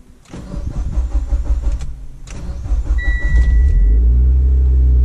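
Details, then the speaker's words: Mitsubishi Evo X with a new aftermarket fuel pump, key held on a few seconds to prime it: two short crank bursts with faint pump whine between, then catches and idles steadily; owner suspects too little priming time. "you can see there I took two cranks but it still started way faster than I did when I didn't let it sit like that"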